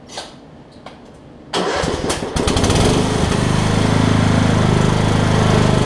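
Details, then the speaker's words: Craftsman LT2000 lawn tractor, 2003 model year, after replacing a tired drive belt: a few cranking clicks, then the engine catches and settles into a steady, even single-cylinder rumble with no knocks or squeals; drives far better, normal running. "That is 1,000 times better."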